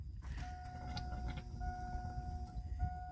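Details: 2001 GMC Jimmy with a misfire, key on and engine off, fuel pressure gauge on the rail: a steady thin whine switches on and off over a faint rumble as the fuel pump primes; tank is low on fuel.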